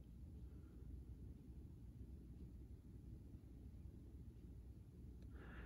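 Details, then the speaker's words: 1999 Casablanca Delta II 50-inch ceiling fan running on low speed: soft steady hum, very quiet, no ticking or rubbing. "here's low speed it's also got that perma lock down rod system as well does hang a little low for this room but like I said not a big deal runs very quietly"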